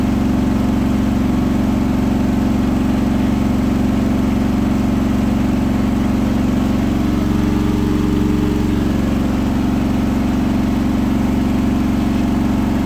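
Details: Hotpoint washing machine at 1400 rpm final spin after balancing; a rolling bath sheet fooled the balancing and was thrown to one side, giving a loud drone, heavy low rumble and even beat near four per second; unbalanced drum.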